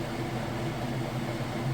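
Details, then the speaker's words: Whirlpool Super Capacity Plus direct-drive top-load washer, three-speed motor, final spin after rinse: smooth steady low hum, no thumping, banging or grinding, speeding up as water is extracted; normal final spin. "it does go a little bit faster as the clothes get lighter and lighter the more water it extracts but as you can see it's getting started I'll close this so you can see nice smooth operation"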